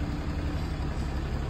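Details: Ram Cummins 6.7L diesel after replacing the turbo actuator with a City Diesel unit that needs no calibration, codes cleared and no check engine light: steady, even low diesel clatter at idle with no misses. Normal running.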